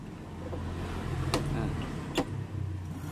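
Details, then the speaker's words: U-Winfly T60 electric bicycle after battery replacement, battery at 13 V: low, even hub motor hum under throttle with a couple of light clicks; voltage holds stable at 12.9 V, battery not dropping, running normally. "Nah, suaranya kan. Nah, tidak turun kan? 12,9. Stabil. Oke. Jadi ini baterainya oke, tidak ngedrop."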